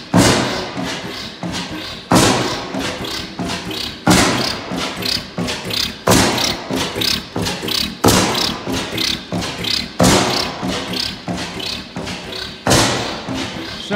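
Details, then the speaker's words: 15 hp Bessemer kickstart oil-field stationary engine, over 120 years old, first start in 10 years: slow, heavy exhaust thumps with lighter beats between, steady and unbroken. Noisy but running healthy; normal running. "Pretty pleased with that. Good to hear it running. She is a noisy thing. All right, well, she does run still."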